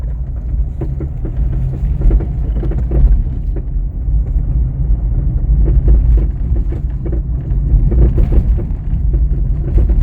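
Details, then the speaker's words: VW Up! driving with irregular hollow clunks and knocks from the front suspension over low road rumble; shock absorber new, cause a worn, slack sway bar link. "E aí está a causadora do problema a famosa bieleta como dá para ver ela já estava sem ação nenhuma o que causava folga que ocasionava o barulho"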